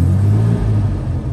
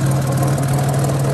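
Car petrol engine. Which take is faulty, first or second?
second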